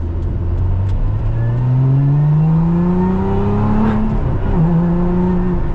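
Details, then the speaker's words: Lotus Emira, heard from the cabin with window down under hard throttle on the road: engine note climbs steadily with a faint rising whine following revs over road noise; normal supercharger whine, more audible than in the Evora GT410. "so this has got a real you can really hear the wine from the supercharger a lot more"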